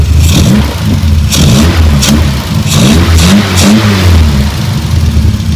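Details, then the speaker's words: 1978 Triumph Spitfire after restrictive stock airbox replaced with K&N air filters: crisp revs with throaty intake roar over strong low rumble, more induction noise, engine happier and idling a bit higher than before; healthy. "can definitely hear the induction noise now the engine seems or happier with the new emphasis"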